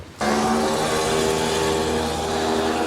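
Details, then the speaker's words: Winch on a barn-find haul: a steady, low-pitched motor drone that never picks up speed. The battery is weak or drained (the charger read 80 amps), so the winch labours. "that doesn't sound good she sounds while you do it no it's I just free spoed it now n it just sounds like that winch might be dead which isn't really no big deal I can jump it off the truck but sounds like that batteries could have be in better shape"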